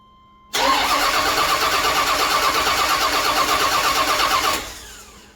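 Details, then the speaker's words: Camaro with newly installed plug-and-play MSD ignition box cranks evenly for about four seconds without firing, then stops; no start despite wiring checked correct. "I got my MSD box in I didn't video record that that was just plug and play but it wouldn't fire up and of course I had to go through all the testing make sure all my wiring right which I did thank God"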